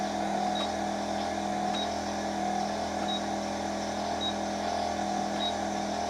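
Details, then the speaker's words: 2001 Buick Park Avenue with a non-working rear defroster, ignition on, inside the car: faint sharp clicks about every second over cabin hum as the defroster relay under the right rear seat switches on and off when toggled. "hopefully you can hear that but I can actually hear that relay clicking on and off when I'm doing that"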